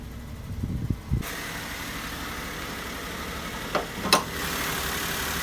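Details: Maruti Suzuki K-series car engine with misfire complaint, mileage drop, pickup loss and vibration: uneven idle with occasional stumbles and pops breaking the steady run; coil, spark plug or wiring harness suspected.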